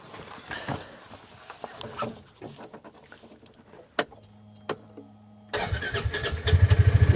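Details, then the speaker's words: UTV started using an Andeman portable jump starter: after a quiet stretch the starter spins briskly and the engine catches almost at once, turning faster than usual; strong, healthy cranking. "It kicked up really quick. It turned the engine a lot faster."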